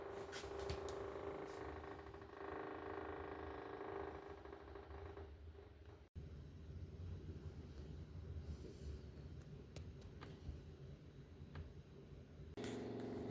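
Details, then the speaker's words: Samsung RS25J500DSR refrigerator: steady whirring hum with rough scraping edge that shuts off when a door opens; ice buildup rubbing the evaporator fan blade. "I don't know if you can hear that noise, but that's what this is making. Um, and I can definitely tell it's not coming from anything else cuz as soon as you open one of the doors, it shuts off."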